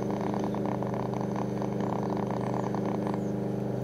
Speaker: switched off the file transfer and you can still hear the popping of the belkins but the real big row is gone and you can hear the world service struggling to get through the popping from the belkin that is plugged in at the moment